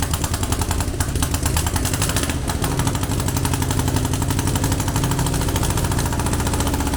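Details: Air-cooled VW Beetle 1200 engine, long dormant, on a test stand after plugging vacuum leaks: lumpy, uneven idle with a shaky, stumbling beat instead of a smooth patter; one cylinder isn't firing.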